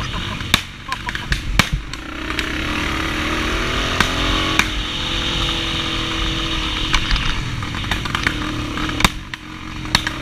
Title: RMB misfiring